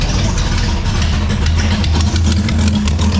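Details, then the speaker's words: Drag wagon, slightly cold, with warped header flanges and Remflex gaskets blown out after backfire: deep, lumpy idle with sharp puffing ticks in time with firing; badly blown exhaust header gasket. "This is probably the most blown out exhaust header gasket I have ever heard in my life."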